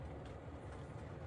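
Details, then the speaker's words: Chinese diesel heater, about 2,100 hours, after new motor bearings and a new exhaust silencer, dropped to low output: a soft, low rumble with a gentle, even pulse and no rattle or squeal; extremely quiet and healthy. "almost low, and it's extremely quiet again, which is good."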